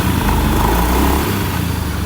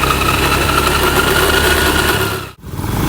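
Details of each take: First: Honda Beat eSP (K44) scooter after gearbox/final-drive overhaul, which previously had a rough droning noise: the engine runs with a steady low hum and no whine or drone, surprisingly quiet. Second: Honda Beat eSP K44 scooter before the gearbox teardown: a loud, steady droning hum, likely from worn final drive gears; after the overhaul it became very quiet.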